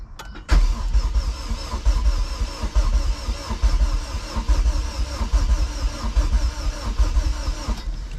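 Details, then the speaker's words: Rebuilt junkyard Honda K24A2 engine swapped into a CRX, cranked with the injectors unplugged to prime the oil pump before first start, on a new battery. An even, steady starter crank of about seven seconds with no firing, which is normal. "what i'm going to do right now is i'm going to crank the engine over with uh without my injectors so that way we're not firing fuel to crank this thing over on the first shot"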